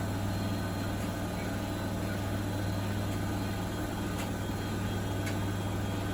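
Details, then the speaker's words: Bosch WFP3300 washing machine after new drum bearings and door seal, citric acid test wash, final spin to 1600 rpm: smooth even low hum, no rumble or grinding, tumble dryer clacking behind; normal spin. "so it's pretty good i reckon it's very quiet really it should wrap up now and just give it the last spin to 1600."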